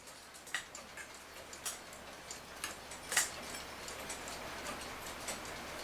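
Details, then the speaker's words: Rusty Forestville wind-up alarm clock after re-oiling the movement, having run for two to three hours: light, crisp ticks roughly once a second in a quiet room, steady and even. The clock is ticking properly. "well I've had this run for 2 or three hours and it seems to be ticking just fine like I said I reoiled it"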